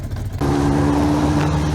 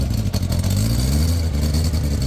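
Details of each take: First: Motorcycle with freshly cleaned stainless exhaust headers and a new petrol tap, still cold: the engine catches and settles into a smooth, steady idle with a firm, even exhaust note and no rattles or misfires. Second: Motorcycle: engine blipped up and down with a rough chuffing blow under each rise; the muffler is holed and blows out inside behind the footrest.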